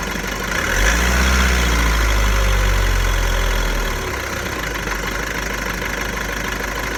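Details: VW Golf 1.6 TDI diesel, 90,000 km, idling: a steady, fairly even clatter about four beats a second over a low drone; idle rattle, dual-mass flywheel suspected but not confirmed.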